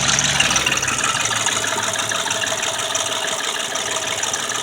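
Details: 2002 Chevy Tracker ZR2, 2.5 L Suzuki engine, warm idle after a short drive with oil light on: fast, even light clatter about three ticks a second; owner suspects oil pressure drop, possibly weak oil pump.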